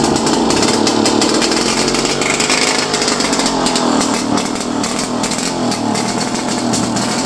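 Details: First start in a while of a 1929 Lockwood Racing Chief outboard, single carb, 1928 lower unit, muffler that looks welded and cut: loud raspy two-stroke buzz holding steady revs with crackly exhaust; running strong and even.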